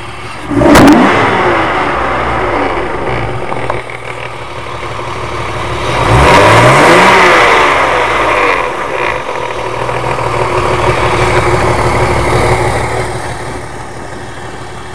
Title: e36 328i Vanos or Timing Chain rattle